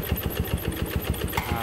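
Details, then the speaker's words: Yamaha Jupiter MX that smokes, is weak and has low compression: rough, lumpy idle with heavy low thumps about seven per second and harsh mechanical clatter from the block, piston suspected too; worn cylinder bore. "Ini motor ini berasap atau ngebul. Coba kita hidupin motornya. Ini suara bagian blok juga kasar,"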